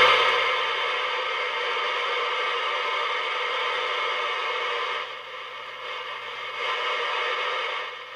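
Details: Superstar T747 mic tester with an oscillating amplifier: steady buzzy hiss with tonal lines swelling and dipping in level, picked up on a nearby CB bench radio, with a sniffer wire on the tester feeding a spectrum analyzer tuned around 31.5 MHz; radio interference.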